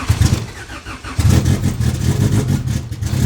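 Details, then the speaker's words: Honda Civic EK (700hp build) started on 93 pump fuel while tuned on Q16 race fuel: engine catches and settles into an uneven, surging idle that rises and dips; runs rough, expected to idle fine while 93 cleans out the Q16. "It's gonna idle a little rough. It's gonna run a little rough because it's tuned on Q16, but this 93 is gonna help clean out the system of the Q16, you know?"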